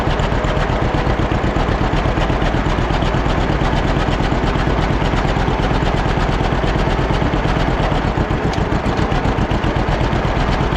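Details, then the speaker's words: Old John Deere B two-cylinder tractor just started after carburetor float check: steady idle near 170 thumps a minute, slightly uneven; runs a little rough, to be evened out, then good to go. "well the old John Deere V don't run too bad however I didn't need to work on the carburetor and it seems you want to run just a little bit rough got to get that evened out and it should be good to go"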